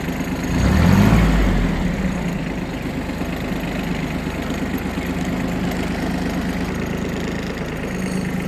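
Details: Kubota Aste A-13 mini tractor diesel, reversing in the low range with revs raised slightly: steady, even putter with no knocks or misses; normal running at raised revs.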